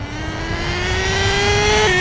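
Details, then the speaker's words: HPI Savage 21 nitro RC truck with rebuilt Dynamite .28 engine, first pass: high nitro buzz climbs steadily then drops a clean step as the two-speed transmission shifts; engine pulls strong, normal two-speed shift. "Two speed, baby. That two speed sounded great. The important thing is that it shifts."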